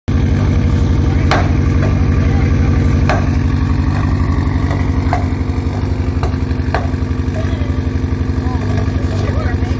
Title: Misfire at idle P0304 DTC